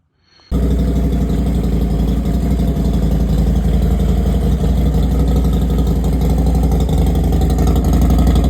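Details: Harley Road Glide after teardown and rebuild (metal was found in the oil), with cylinders, exhaust and cam cover reinstalled: it fires instantly and settles into a loud, steady loping idle at about four pulses a second with no knock or tick. It runs normally.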